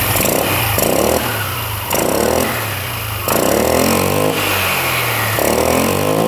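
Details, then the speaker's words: Free small scooter after a loose clamp, bolt and nut were refitted and torqued, splines undamaged; idling then blipped, revs rising and falling cleanly with no scraping or clunking; earlier noise gone, running normally. "Alright, well that was the problem."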